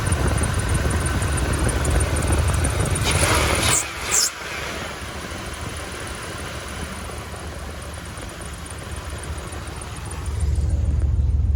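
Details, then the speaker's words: 1999 Dodge Dakota 5.2L Magnum V8 after new plugs, wires, cap and rotor: idles steady but a touch high with a faint squeak; caused by a vacuum leak from two cut small vacuum hoses. "i noticed it was still idling a little high and i looked up here i had a pretty good vacuum leak right here"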